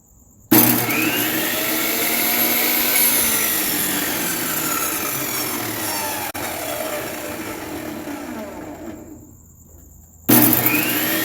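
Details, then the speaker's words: Craftsman 10-inch table saw, 15 amp motor, after rear bearing fix and rewiring: smooth steady motor whine, coasts down evenly and restarts cleanly, no grinding or smoking; normal running. "No grinding, no smoking, it works."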